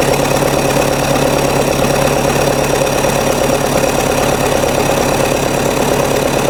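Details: Diesel-swapped Jeep Wrangler YJ in neutral after a cold start: steady, regular diesel clatter at a settled idle, about three pulses a second, with no hunting or misses; healthy idle.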